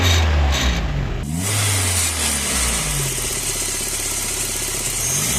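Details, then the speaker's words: Engine revving with a tinny metallic buzz over the exhaust note: loose exhaust manifold parts or a sheet-metal shield rattling, as when bolts are left out during service. "el siguiente sonido es proveniente del múltiple de escape a veces a Los mecánicos se les olvida poner tornillos y dejan elementos flojos o alguna lámina que suena al"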